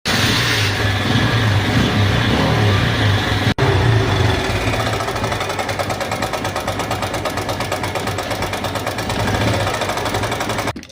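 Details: Star City Plus engine: loud metallic clatter riding over idle at roughly three beats a second, steady with engine speed; worn timing chain rattling, being removed for replacement with new chain.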